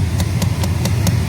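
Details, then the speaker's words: 1996 Chevy Silverado C1500 2WD, engine idling with AC on: sharp even clicks about every fifth of a second from behind dash; failing blend door actuator motor. "clicking right there we'll be coming from there it is maybe it was me the whole clucks right up there it's that little box right there it's your Blin door"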